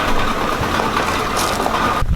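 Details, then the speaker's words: Another car, not the Focus, on a cold start, visibly leaking fuel; just after start-up the idle is lumpy and uneven with irregular low thumps, the engine running rough. "Oh, she started. She sounds rough though. She sounds rough."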